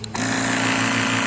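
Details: Air compressor built into back of Schumacher SL1519 1500 amp lithium jump starter: kicks on with a click, settles into steady even buzzing drone; runs smoothly, no rattle or labouring.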